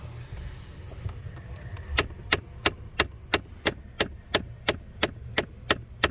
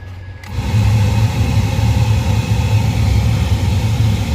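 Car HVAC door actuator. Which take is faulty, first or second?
first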